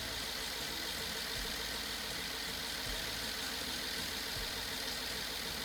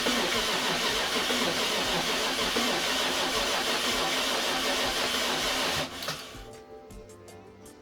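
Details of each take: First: BMW F10 550i N63 after rebuild and cylinder wall repair following hydrolock, first startup: steady, even idle with smooth hum, no misfire, no knock, no smoke while warming toward thermostat opening; normal idle. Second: BMW F10 550i N63 V8 after hydrolock rebuild with cylinder wall repair, first start attempt on replaced battery: about six seconds of steady cranking, then light clicks, never catches; code shows no ignition voltage supply, traced to an unplugged ignition supply connector.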